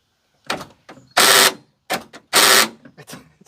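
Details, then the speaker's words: Chevrolet Astro van after the passenger door actuator was replaced and reconnected. When cycled, the lock gives two loud bursts of rapid clatter, each about a third of a second, among lighter clicks. The actuator itself works. Door lock actuator chatter. "still sounds like hell that is insane okay that needs to get fixed but at least now we know that the door actuator works"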